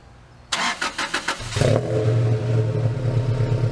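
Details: 1999 Toyota Tacoma just after installing a Walbro 190 LPH fuel pump: several quick cranking pulses, then the engine catches and settles into a steady, even idle. Normal start and idle.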